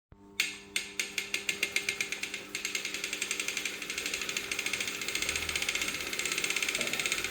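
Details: Brand-new Wahoo Kickr Core trainer, broken: sharp regular clicking knocks speeding from about three to six a second as pedalling picks up.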